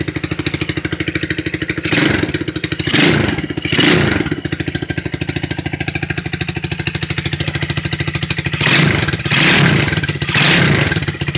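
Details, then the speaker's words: 2008 Highbird 200cc four-wheeler, briefly warmed after cold start, off choke: steady single-cylinder idle with a few clean, quick throttle blips rising and dropping back smoothly; healthy revving. "We'll give it a second, let it warm up just a little bit, and we'll give it a couple good revs and let you guys hear it."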